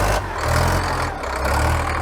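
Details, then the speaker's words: Caterpillar 922B wheel loader diesel that sat over a year, started without ether: steady low idle with an even rumble and no knocking or irregular beats; sounds good. "beautiful engine sounds good too"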